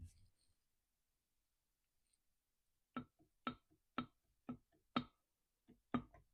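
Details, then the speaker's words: Three-week-old Stihl MS261 50cc chainsaw returned as a no-start, crank turned by hand during teardown (passed vacuum and pressure tests): sharp knock about every half second. "okay we're finally going to remove this cylinder and find out who's knocking to get out"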